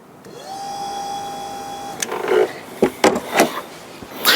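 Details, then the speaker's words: Unidentified vehicle with an ABS fault (ABS light at about 40 km/h, scan tool won't connect): ABS pump powered directly with a power probe runs with a steady mid-pitched whine under two seconds; pressure should rise, but a fault is still suspected. "now when that pump runs the pressure in that ABS module should rise"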